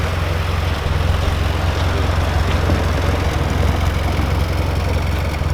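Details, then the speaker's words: Austin Healey Sprite idling: low, smooth, even purr with a soft steady beat and nothing ticking or knocking; healthy normal idle. "Oh, it just purrs. It just purrs, mate. Beautiful."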